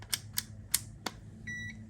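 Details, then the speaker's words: 1999 Ducati 900 SS IE, starter motor won't engage: multimeter on ohms, probe clicks then short steady high beep testing wire from pin to the four-pin connector plug; continuity good, no broken wire. "goes beep. So what we're doing is testing connectivity to make sure that there's no broken wires from here right down through to the plug."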